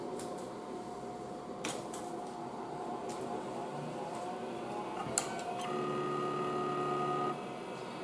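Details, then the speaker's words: Old MFM hard drive, previously not working in a 286, now fitted to an Amstrad PC with an ST11 controller card: quiet spin-up with light head rattle/clicks, then a steady faint whine; the drive starts and runs normally. "it's not making as much noise as you can hear it's a little bit of a rattle of the heads as it starts up but then after that it comes to life"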